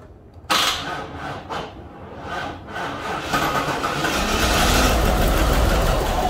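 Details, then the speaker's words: Trans Am V8 first start with mice in pipes: lumpy, stumbling idle missing on several cylinders, owner suspects running on four or five, but no knocking; rough running misfire. "it's running we know for sure it's running on seven cylinders i have a feeling it's running on more like four or five cylinders it's running really bad but the good thing is there's no knocking"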